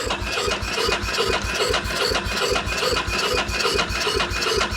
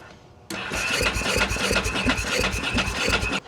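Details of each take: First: 2001 Ducati Monster 900 that sat for a long time, cranking after battery charging: even beat about two and a half pulses a second with no crunching or clanking, then stops; healthy turnover. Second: 2000/2001 Ducati Monster 900, long sitting, new fuel pump and cleaned tank: starter churns in uneven pulses, about three per second, never catches; ignition seen triggering, unsure whether injectors fire; cranks but no start, cause unconfirmed.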